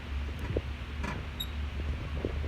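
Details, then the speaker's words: Brand-new 2019 Toyota Tacoma, few miles: short high chirpy squeak from the passenger-side front as the corner is pushed down; dealer couldn't locate it, lubing didn't fix it, still squeaks without the skid plate. "but after a week or so I got a strange squeaking noise from the front end of the passenger side"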